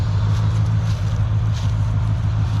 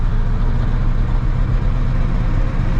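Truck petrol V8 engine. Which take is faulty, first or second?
second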